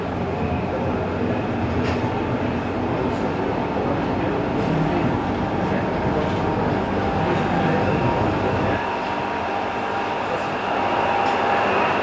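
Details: Ansaldo Breda light-rail car A19 (1996 Italian-built, AEG motors, 3-car set), Ankara A1 line AŞTİ–Dikimevi, heard while running near Bahçelievler: loud rushing rumble, irregular rail clatter, faint tone on top; excessively noisy running, cause unknown.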